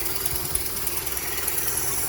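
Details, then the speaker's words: Rebuilt 1953 Dodge 237 ci flathead idling in neutral in garage, driveline unhooked, exhaust connected: quiet steady idle with faint hiss and light ticking puffs; owner suspects a tiny exhaust leak, unconfirmed, noisy at the back. "I hear a little. I think I hear a tiny little exhaust leak somewhere, but the noise at the back is."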